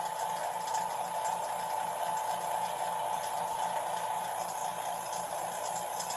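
Quiet, even hum with a steady mid-pitched tone and no surging; the pump is sealed off and pulling down normally.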